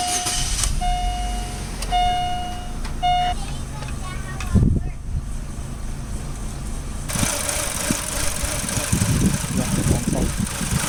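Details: 2007 Chevy Aveo with high then rough idle; codes P2106, P2110, P2135, P0172, P2188, P0106, P161B erased with scan tool, then restarted: four beeps, engine idles unevenly with irregular low thumps, sounding bad — rough running, misfire.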